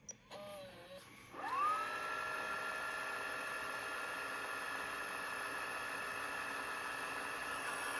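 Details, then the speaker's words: Sharp VL-H870 ViewCam Hi8 camcorder after repairing transport gear that ground on eject, partly disassembled: motor spins up with rising whirr then holds a smooth, steady high hum, no clicks; fast-forwarding normally. "And you can hear how fast this thing actually forwards."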